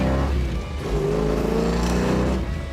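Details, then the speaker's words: 1970 Plymouth 'Cuda 440-6 V8 with a 4-speed and new drivetrain, accelerating in gear with the secondaries opened: it pulls strongly, pitch rising cleanly with no misfire or stumble. It idles on the 350 cfm center carburetor, and the 500 cfm outboards join at full throttle. The engine sounds healthy. "Sounds good. Sounds healthy. It's the way they're supposed to."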